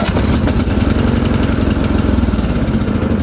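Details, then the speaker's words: Yard Machines (MTD) riding mower that would not start because a worn part let the deck safety switch disengage; lever wedged back with a washer: the engine starts straight away every time and settles into an even idle. "fires up every time"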